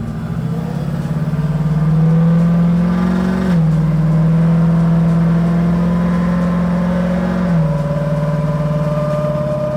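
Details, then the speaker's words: 1991 Chevrolet Camaro convertible with crate LS9, Kong ported 2.3L supercharger, ported heads, PDS Stage 4 cam and 4L80e, on a final test drive after tuning with windows down and AC off due to high coolant temp. Engine pulls hard with two crisp, clean upshifts and strong low-end torque. "Those shifts are so much better. It makes so much torque down low."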